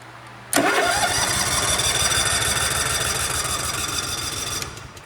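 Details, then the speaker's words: Cub Cadet RZT SX EFI zero-turn mower with the old relay plugged back in for testing: starter churns about three to four turns a second for four seconds and never fires; confirms a bad relay, since it starts with the new one. "If you hit the button, it doesn't start, then you definitely know that relay is bad."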